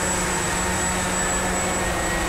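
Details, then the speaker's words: Walkera QR X350 Pro quadcopter on its first flight, in GPS mode after throttling up, slight wind: a steady buzz with an even low tone and a constant high whistle, no wobble or surging; clean, normal hover. "and I'm letting go of the stick and this is still hanging"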